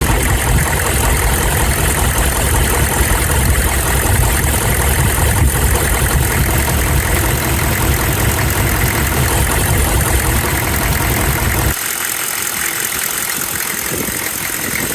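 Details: 6.5L turbodiesel idling with a rough, uneven tapping knock, about two to three beats a second; loosening the injector lines showed bubbles. Cause suspected, not confirmed.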